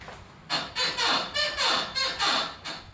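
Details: 2012 Ford Expedition with 175k miles, used for towing: loud rhythmic rear creaking, about four groans a second, as the body rocks; first assumed to be a lower control arm bushing, it turned out both rear struts had snapped.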